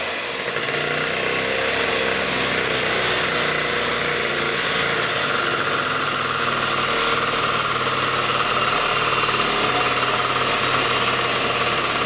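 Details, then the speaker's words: Suzuki Trail Hopper after carb clean, throttle fix and fresh oil, cold weather: small single-cylinder ticks over at a quick, even idle with no misses or stumbles, runs clean. "listen to it purr like a little kitten. Little kitten dog."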